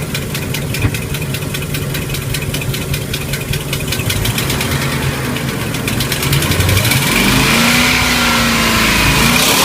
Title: DIY MerCruiser 5.0L mpi 260HP ticking sound, starboard side leaking exhaust manifold gasket